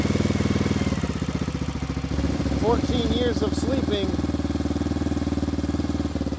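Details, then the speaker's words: 1994 Honda XR650L single-cylinder, unstarted 14 years, just started on choke after spark restored, fed from a gas can, some smoke: thump about four times a second, fairly steady idle, no knock or clatter; healthy. "day one we got it fired up at that idle"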